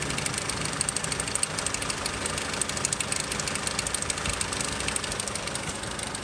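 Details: 2002 Nissan X-Trail petrol engine idling with a fast, loose metallic rattle that appears only after about 20 minutes of driving; owner suspects the timing chain.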